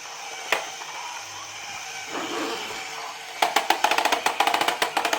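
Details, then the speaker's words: Secondhand pre-assembled Haynes Build Your Own Internal Combustion Engine model kit, known to have a problem, on start-up: uneven, fast clatter of sharp ticks, about two per second or more, something catching in the mechanism. Abnormal clicking; timing/tensioner later investigated. "It does have a problem, which you will hear when I start it up, but it looks nice."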